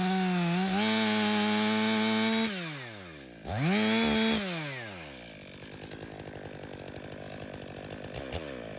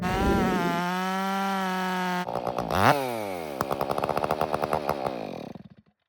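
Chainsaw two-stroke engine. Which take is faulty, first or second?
second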